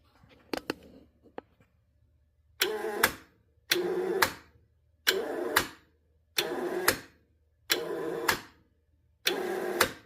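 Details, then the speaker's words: 2012 Honda Civic starter, removed and bench-tested: repeated short bursts of free whirring that spin up and stop with no engagement clunk; the armature spins inside but the pinion gear no longer turns or engages, so the starter is toast. "It's not even spinning the gear anymore. It was just the uh the the rotor over there on the inside just spinning."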